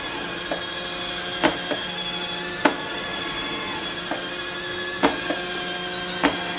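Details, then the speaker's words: iRobot Roomba on carpet carrying weight on its back: steady motor whir with sharp clicks roughly once a second as the overloaded drive wheels struggle and slip. "It's moving a little bit. It's obviously struggling. You can hear it clicking."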